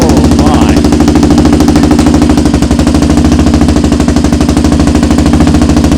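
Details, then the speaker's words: Rebuilt 400EX single-cylinder quad on its first heat cycle: loud, choppy bark at a fast, slightly uneven idle, about three pulses a second, with black smoke; running rich, possibly debris or a baffle in the exhaust. The exhaust is very loud for a 400. "Sounds good though, actually. It's loud. It's very loud. For a 400."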